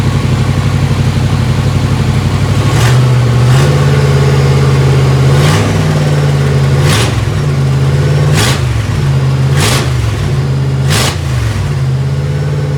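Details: 1955 Chevy Tri-Five barn find with a V3 Vortech supercharger, first start-up after correcting distributor timing that had spit back through the throttle body: smooth high idle, then clean throttle blips rising and falling without popping back or stumbling.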